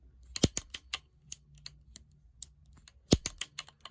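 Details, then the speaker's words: Shimano 7-speed shifter after freeing a stuck shifter with lube: sharp, crisp clicks in uneven bursts as the lever is worked, each detent snapping cleanly; a definitive click now, shifter moving freely. "Now, see, I can hear a much more definitive click. Apologies if I'm making you nauseous. I will try to move that to the side. But yes, now I'm hearing a definitive click."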